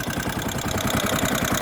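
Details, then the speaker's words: Kawasaki Rouser 135 that suddenly died, now running: single-cylinder idle with rapid uneven beat and clattery, rattling top end; exhaust manifold found cracked; mechanic unhappy with the noise, plans to pull engine again. "Ayan tingnan niyo pakingan niyo yung andar yun Ayaw na hindi naka neutral ayan ayan oh maingay"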